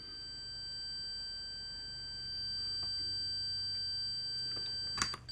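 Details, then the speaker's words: Multimeter continuity beep with decade box around 110 ohms (leads and box 1.2 ohms): steady high tone in quiet room, brief click and break near end; still beeps to about 150 ohms. "Ohm scale sees the 99 ohms. Back to the beef test. Still beeping."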